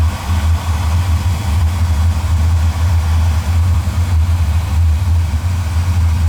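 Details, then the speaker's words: Oil-fired boiler burner, about three years old, at a service visit, fitted with a smaller nozzle, too much air before adjustment: a steady, even low roar with a gentle pulse and no surging or sputter; firing cleanly. "see like you got a lot of air going in there I put a smaller nozzle on there so we'll adjust"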